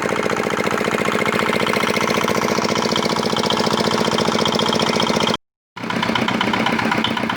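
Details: Repaired old, modified Chinese R180 single-cylinder diesel for wood splitting, earlier prone to bearing knock/seizing despite a new crankshaft: steady thumping at about three beats per second, even and clean, no knock or rattle; runs healthy.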